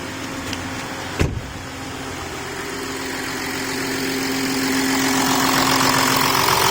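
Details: 2008 VW Touareg turbo diesel, first start after fitting new Bosch OEM high-pressure pump, new timing belt, and bleeding the fuel system; brief knock at start, then a steady, even idle with no clatter or misfire.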